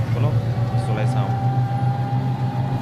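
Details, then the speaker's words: E-rickshaw electric motor and gearbox running after the gearbox was opened, repaired and reinstalled to fix a sound problem: smooth, steady motor hum with a faint even whine, no grinding or clunking while moving; gearbox now quiet and healthy. "কিমান ধুনীয়া sound আহিছে।"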